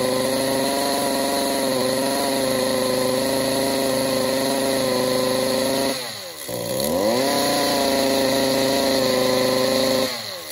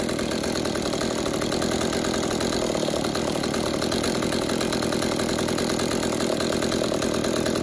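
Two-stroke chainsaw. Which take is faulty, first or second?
first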